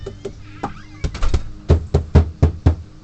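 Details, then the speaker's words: Tracker OX400 off-road vehicle, not used recently, with what looks like water in the engine compartment: about five dull clunks, roughly two a second, and it never fires, while the lights flicker. The owner suspects a locked-up starter motor; the cause is not confirmed. "i think the motor the starter mode is locked up or something or something like that"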